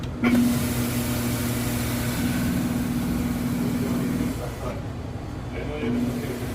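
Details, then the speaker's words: F'real blender with EX 8C error, mix motor disconnected: steady low pump motor hum for about four seconds after initializing, then cuts out abruptly as the breaker trips; water pump motor fault. "can hear that pump motor going there it goes there it goes you just heard it it just clicked off it just tripped a breaker just now so that's showing me that that pump motor has an issue"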